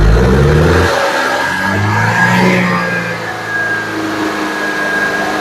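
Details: 2011 Audi Q5, CDNC petrol engine, revving and settling with a rough, uneven beat; severe misfire counting on cylinders 1 and 2 (P0301, P0302), stalls on start-up and idles rough; later fixed with spark plugs and two coils.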